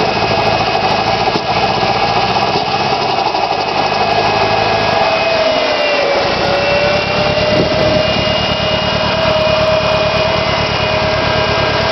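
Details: Nissan SR20DET engine after sitting for 3 months, at idle: raspy high note with an uneven, stumbling beat underneath. Misfiring, cause not yet found.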